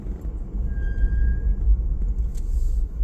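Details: 4Runner fitted with an adapted Tacoma 13-inch 4-pot big brake kit, two-piece rotors and XT910 street pads, after about 5 miles of rebedding: a brief thin squeal under light braking to a stop, from a worn-thin pad deposit layer on the rotor.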